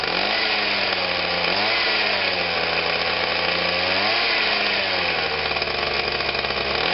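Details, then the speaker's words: Atlas Copco Cobra TT two-stroke breaker, started cold just after throttle cable replacement with the casings still off: steady high-revving buzz that never settles low; idle is far too fast and the new throttle cable needs adjusting. "right just need to adjust it up a little bit and the way should go sounds like we finally got home on out but it sounds like it's very fast of what it is I can see the butterflies shutting right off"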